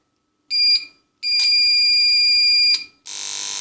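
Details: Powercom PCM RPT-600AP UPS (2019, 360 W) on 220 V mains: alarm beeps then harsh steady buzz, relay chattering, not charging, mains not detected; caused by two capacitors that lost capacity (10 µF 100 V, 100 µF 35 V).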